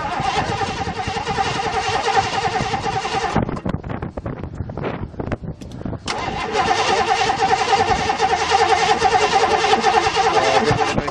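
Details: Fuel-injected 5.0 V8 1986 Mercury Grand Marquis at its first start in five years, fuel pump wiring being sorted: repeated cranking bursts with short pauses, the engine never catching; cranks but won't start.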